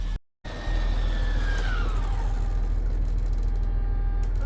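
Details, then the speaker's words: 2019 Tiffin Phaeton slide-out extending, button held until the motor shuts off, with the coach engine running. Even drone and whine gently falling in pitch, no clunks or skipping, no sign of a stripped rack. Normal operation. "But it doesn't sound like there's an issue with this one. This is, Tiffin did a pretty good job installing it,"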